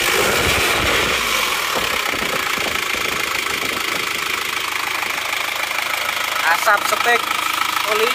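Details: Isuzu Panther diesel freshly rebuilt with new liners and original rings, at working temperature: even, light clatter at a settled idle, no misses or knocks; dipstick and oil filler show no smoke. Healthy idle.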